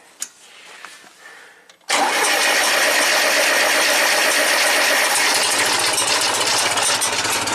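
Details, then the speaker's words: 1975 International Harvester 574 4-cylinder tractor that stalled under load, after its carburetor venturi, installed upside down in a rebuild, was refitted correctly: engine catches and holds a loud, steady, even run; fixed. "my neighbor's going to be so thrilled this thing runs perfectly now"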